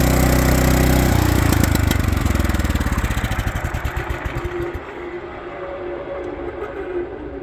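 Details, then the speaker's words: Power King stump grinder after greasing the failed grinding-wheel bearings: small engine runs steady then slows into even chuffing, wheel knocking and handlebar vibration gone; clutch still growls, normal even when new. "Oh yeah. No vibration in the handlebar anymore. This clutch still makes growling noises, but all those type of clutches do that even when they're new. So, but yeah, knocking noise is gone from the wheel, so that's good."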